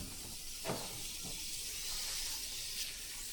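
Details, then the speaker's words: Sun Tracker pontoon hull that took on over 100 gallons of water: faint steady high hiss over a quiet room with a couple of soft knocks as air escapes through a crack right in the weld; air leak at cracked weld. "Right in the weld. Look at that. Right in the weld."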